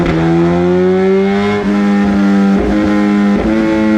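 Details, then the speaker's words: 2018 Suzuki GSX-R1000R on the dyno after an ECU flash that reduced quick shifter kill times to fix the factory delayed shifting. Hard pull through three upshifts about a second apart, each a crisp, brief dip. Quick shifter works smoothly. "So I have reduced the kill times in the quick shifter, and it has definitely helped smooth it out a lot."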